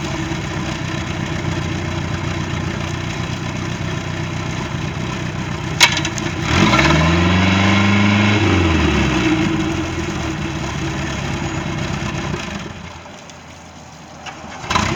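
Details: Boat engine (Monterey) after no-start repair: even, steady running with one smooth rev-up and settle back, no knocks, misses or stumbles; normal running.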